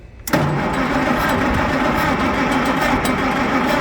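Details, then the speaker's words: Old machine cranked, jumpered to a camper battery, owner fears flooding and considers full choke; starter grinds with a steady, tired, slow beat and never catches; not cranking fast enough. "No, we might not have enough out of that trailer battery. I wonder what happens if we go full choke. I'm afraid the motor might be flooded, but we just got to try. No, we're not cranking fast enough, I don't think."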